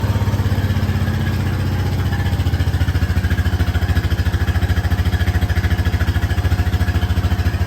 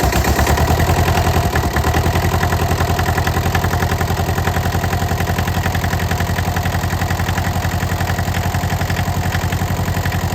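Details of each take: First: Honda Rancher ATV cold start at about 30°F after sitting roughly a year, battery recently charged: strong, even low thump settling into a steady idle with no misses or knocks; normal cold idle. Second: Cold start at about 28–30°F on a diesel with a suspect neutral safety switch and coolant drained; stiff, gummy throttle. Fast, uneven putter around 220 beats a minute that never settles: rough cold idle.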